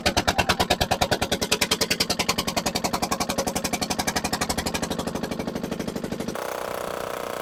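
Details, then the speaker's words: Barn-find dumper, first start with no exhaust fitted: very loud, sharp single-cylinder beats slowing steadily; very smoky, idle revs very high, running rough; cause not confirmed. "I definitely need to get that exhaust on that was absolutely Bonkers loud"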